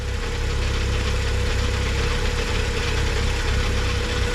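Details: BMW N55 in stationary break-in, warming up while transmission fluid is added (about seven litres): deep, smooth, even idle with steady low rumble and no ticks or knocks; healthy.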